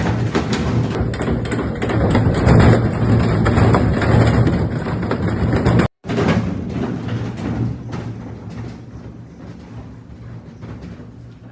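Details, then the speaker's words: Consul 16 kg top-loading washing machine: heavy rhythmic banging during the spin cycle, about two hard knocks a second, as the machine jumps and knocks from worn suspension. "Gente esse barulho que vocês acabaram de de ouvir de ver eh uma máquina pulando na centrifugação ou se batendo na centrifugação que a gente chama né"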